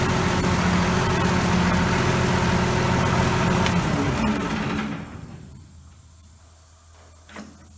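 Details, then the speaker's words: Allis-Chalmers 180 tractor with 301 diesel, about 4,100 hours, starting quickly and idling with an even low beat and no knocks or misses, then shut down. Runs smooth with little smoke; healthy engine. "She starts pretty good now. Starts good, runs smooth. Sounds real good."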